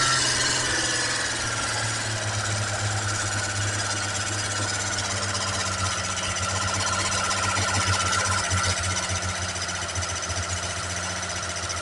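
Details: Freshly fitted camshaft with new lifters in a Holden six, not a full rebuild, timing set, owner-assembled carburettor and ancillaries; lumpy cam holding a fast, hammering idle with rapid even pulses, sitting too high and needing adjusting back down.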